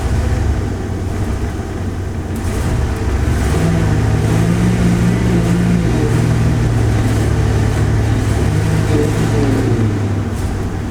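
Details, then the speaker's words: Ford 460 V8 in an HR Vacationer RV, already given a tune-up, new fuel filter and vacuum hose fix: from idle it revs on throttle, then sags, flutters and breaks up as if starving and won't pass 20 mph. Bogging under acceleration, fixed by replacing the fuel pump. "As soon as I get to a certain part, it wants it to die. If I back off a little, it flutters. If I punch it, it takes off and then starts breaking up."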